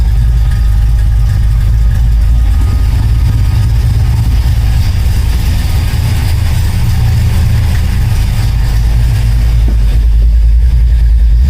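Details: 1972 Oldsmobile Cutlass idling after an electric fuel pump install, fed through a relay on low gas, with the AFR reading good. Steady, even low rumble with no misses, ticks or hiss; the engine idles smoothly and sounds healthy.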